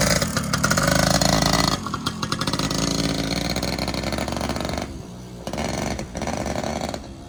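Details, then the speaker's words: Yamaha PW80 two-stroke after a suspension kit install, run in very cold weather: revs raggedly and falls off unevenly, stumbling off throttle; rough uneven running, carburetor needs adjustment. "another fun little project as you can hear definitely need some carb adjustment we'll get to that"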